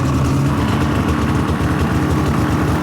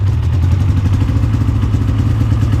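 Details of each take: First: Polaris Indy 600 two-stroke snowmobile: steady even low burble, clean healthy idle with no stumbles or misses. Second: Polaris Indy 600 two-stroke snowmobile at idle: lumpy, choppy, lopsided beat, sounding like it runs on only one cylinder; owner suspects a fouled spark plug, main issue later found to be a plugged fuel filter.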